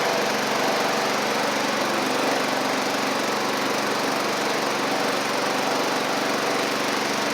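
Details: Sabre riding mower driven after repair (new drive belt, head gasket, carburetor, ignition coil) at about 32°F outside: steady, even buzzing note that holds speed, no knocks or misses. Smoke is residual oil from the old head gasket burning off. Normal running.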